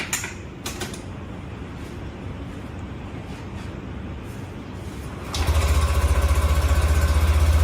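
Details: Yamaha motorcycle with YECVT (Yamaha Electric CVT), started after TCU primary sheave position initialization via diagnostic tool and refitting removed parts: a few clicks of handling, then the engine catches cleanly and settles into a steady, evenly pulsing idle; healthy start.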